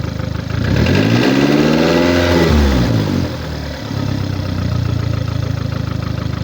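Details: 2009 VW Golf MK6 1.4 petrol (1390 cc, 122 PS, engine code CAXA, 272,900 km) revving up and dropping to an uneven, chuffing idle pulse; caused by a defective head gasket.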